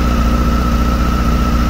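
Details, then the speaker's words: 2007 Honda Hornet 600 four-cylinder during carburetor synchronization: low lumpy idle with uneven pulse and faint off-beat stumble; leak was heard, then a cut vacuum hose found affecting cylinder 1; rough idle from vacuum leak. "porque aí eu só consegui encontrar porque na realidade eu escutei o barulho né Aí quando eu fui olhar aqui a mangueira cortada"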